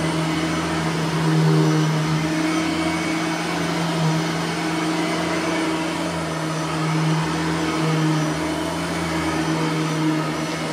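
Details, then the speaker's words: Bissell 3510-9 (9 amp) upright vacuum on high setting in hallway, brush roller bearings freshly greased; steady mid-pitched hum with even airflow, no rattles or surging; normal operation. "this we're gonna have to put it on high because it will pick up the uh it will pick up the rug"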